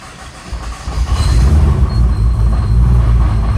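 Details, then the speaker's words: Rebuilt 1200+hp-target Nissan R35 GT-R VR38 engine, first start after fluids and pre-cranking with fuel pump unplugged: catches and settles into a deep, even rumble, no knocks or rattles, good oil pressure; healthy first start. "She's alive. Finally, it's got good oil pressure. Not bad."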